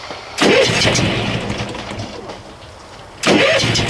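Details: Boat generator being winterized with antifreeze in freezing cold, after failing to start until circuit breaker switched on: engine catches sharply, settles into an even note, then catches again about three seconds later; normal start and running.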